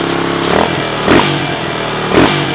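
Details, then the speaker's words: Suzuki DR200ES with Honda 250 clone carb, oversized for the 200cc engine, no air filter, after a fire: steady single-cylinder thump with three quick throttle blips, clean pickup each time; normal running. "foreign so there she is she obviously runs that is a Honda clone carb it's off of a 250 SX"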